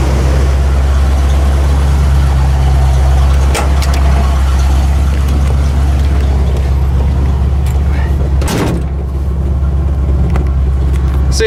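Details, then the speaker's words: Ford F150 V8 with old carburetor refitted and choke set low, at about 2.5 PSI with no bubbling; deep, steady idle with heavy exhaust rumble, even rhythm and no stumbling. Normal idle. "Choke set really low. There we go. You hear how it rumbles?"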